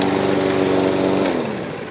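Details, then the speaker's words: New Toro Recycler Vortex lawn mower, after fixing no-start (ran last year), oil full: crisp, even high-speed single-cylinder buzz at steady governed speed, personal pace drive works, then winds down smoothly; running normally. "You ready? Fire in the hole. Does the personal pace work? Yep, oh, she's lively."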